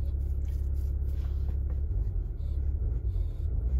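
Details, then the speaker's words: Citroën C6 HDi diesel that had been in limp mode from air flow meter fault, after repair with seals regreased: check engine light gone, steady deep diesel rumble with even beat, no misses, knocks or hunting; normal idle. "Bon déjà, le voyant moteur qui était là a disparu."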